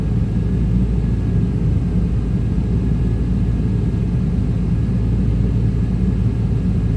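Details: 1995 Chevy Tahoe K-series 5.7L V8 rough idle: wavering uneven beat; scan shows throttle position sensor not communicating, truck won't shift, TPS replaced twice; owner suspects wiring; smoke seen near passenger-side headers.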